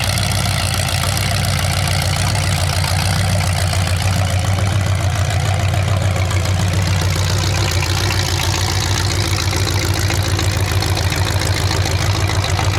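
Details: 427 big-block Chevy V8 on an engine run stand, first fire after sitting a long time; distributor loosened and timing adjusted, owner thinks the wrong way. Deep loud steady open-pipe rumble, even firing, no knocks, misses or hunting; normal healthy idle.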